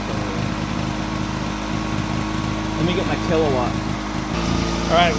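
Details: Honda EX350 generator revived after sitting a while, fresh fuel: small single-cylinder engine running smooth and even at steady speed, no misses or knocks; output 129 volts, 58.6 Hz; healthy.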